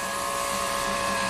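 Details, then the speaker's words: 2004 GMC Envoy XUV power roof motor driven manually by jumping power and ground straight to its two wires, roof slightly open: a steady, even hum with no grinding or straining; the motor turns freely. "the roof opens let's look at live data while we do this and see if it knows where the roof actually is"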